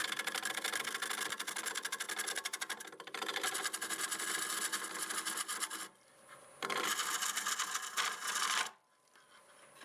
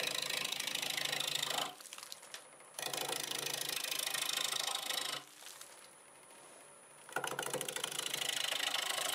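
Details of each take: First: Rapid ticking, about four a second, as the tool scrapes a spinning olive wood bowl on the lathe; the tool is catching cracks that were filled on the outside. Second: Wood lathe turning an olive wood bowl with a 1/2-inch bowl gouge at about 800 RPM: a steady, even hum with the gouge hiss coming and going. The lathe runs smooth and normal.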